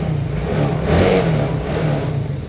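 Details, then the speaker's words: Yamaha Mio GT (54P) scooter that wouldn't start, kick-started after the broken red wire to the ignition switch was found: engine catches and is blipped once, pitch rising smoothly then settling without misfire or rattle; normal revving. "nah motornya hidup Oke kita gas Alhamdulillah ya motornya"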